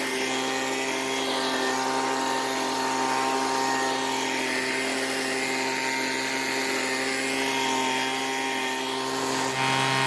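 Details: Weedeater two-stroke leaf blower, given away after long storage, had spark and compression so carburetor suspected; high, steady buzzing whine holding even speed with no sputter or stumbling, blower now running properly.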